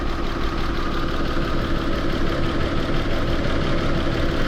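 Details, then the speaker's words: Mitsubishi Mirage G4 that misfires once hot, with new ignition coil and spark plug and an injector fault code: wiggling the injector harness wire makes the idle pulse unevenly with a rough, shaky rumble and skipped beats, indicating a loose injector wiring connection. "pero nung ginalaw-galaw ko yung wire dito sa harness yun y mga bosso Ayan Nanginginig na siya ayan oh"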